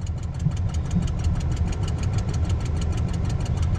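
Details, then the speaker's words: 1989 Ford Ranger cold start at −1 °F; low lumpy idle with a sharp tick about six times a second and pops back through the intake; owner suspects timing is off; oil pressure reads low. "they keep getting some poof's back through the through the intake there there we go"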